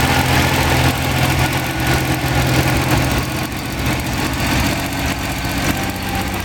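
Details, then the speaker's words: Freshly rebuilt Ferrari Dino 246 GT V6, fully restored and run on a small test stand before final installation, with oil pressure, water temperature and exhaust being checked: deep, even burble holding a steady idle, no knocks or ticks; normal idle. "Ferrari Dino 246 GT, moteur entièrement refait à neuf chez ARS Classique, monté sur un petit support pour voir si tout va bien."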